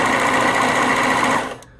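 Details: Singer Stylist serger after retightening the loose motor mounting bolt (10 mm) to restore belt tension that had caused grinding: fast, even stitching chatter at steady speed, no skips or grinding, then a clean stop. Running normally.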